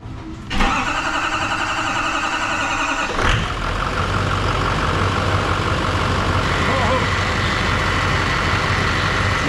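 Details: Newly installed diesel engine, first start after priming the fuel system: several seconds of steady cranking, then catches cleanly and settles into an even, smooth idle with no knocks or misses; oil pressure 80 psi, check engine light on.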